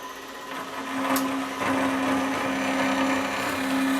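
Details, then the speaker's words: Extruded 6061 aluminium stock being cut to size on a saw for a vacuum fixture; the blade holds a steady, even whine as it bites in without bogging down, cutting quickly — normal cutting. "amazing how quickly this saw goes through half into aluminum"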